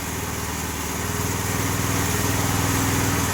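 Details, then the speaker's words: Homemade log splitter repowered with a 212cc Predator engine (replacing original 5hp Tecumseh), driving a low-flow high-pressure pump; small single-cylinder idles with a crisp, even pulse about four a second, steady and smooth; normal idle after successful repower, left to run out of fuel. "so we're just gonna let it run itself out of gas and uh it's gonna empty the fuel line and we'll we'll park it outside"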